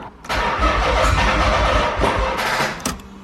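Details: Nissan 300ZX after battery charging, lights staying on with key out (suspected short): starter cranks evenly, slightly slow, for about two and a half seconds, never catches; cranks but won't start.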